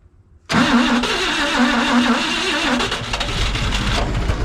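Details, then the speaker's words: CMP engine cranking with no fuel filter: catches and sputters unevenly without idling; seems short of fuel, smoke from oil filter area shows heavy blow-by, owner suspects rings; needs more battery. "Well, clearly, need more gas. Look at the smoke coming out of the oil filter. Still getting a lot of blow by."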